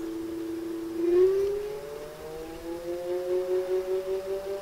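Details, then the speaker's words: Simple DC motor with beta motor speed controller (72 V, 144 V controller, 800 A), field shunted; clean whine climbing smoothly as motor spins up with good power, running healthy; controller casing getting very hot. "motor's running great that sucker just spin right up he's got some good power too"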